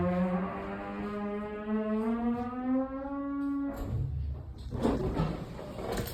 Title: A Nasty Thyssenkrupp Aurora Hydraulic Elevator with Weird Noises